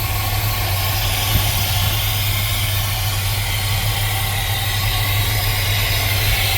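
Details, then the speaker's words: 1979 GMC C15, parked for some time and first start after delivery, EGR valve still fitted: even, steady low rumble at idle with no knocks, misses or ticks; motor runs good; normal idle. "Oh, I think I got lucky, you guys. That motor runs good."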